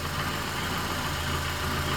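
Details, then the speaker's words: Honda CR-V (2007–2011) idling after a fix for radiator fans and AC compressor stuck on; with fans and AC off, the engine gives a steady, smooth low rumble with no knocks and no overheating, a normal idle. "You see right now the fans are off, the AC is off, everything is fine, no overheating."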